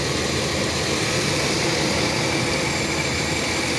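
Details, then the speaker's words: 2005 Chevy 2500 van with the 6.0 petrol V8 idling after the quick fix, with a strong intake hiss. It idles down slightly but steadily, with no stumbling or cylinder misfire. "Listen how it's idling down a little bit, but it's not jerking like it's missing on a cylinder or anything."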